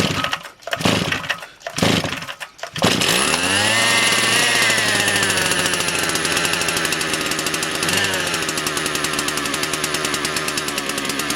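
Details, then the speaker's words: Motor Sich 270 chainsaw with new ignition coil and original KMP carburetor, cold start at +1°C: about 12 pulls, then it catches and settles into a steady, even high-pitched buzz with no stumbling; healthy cold start. "завелася бачите десь за 12 місяців яким разом поки не затягнула повітря Але пішла"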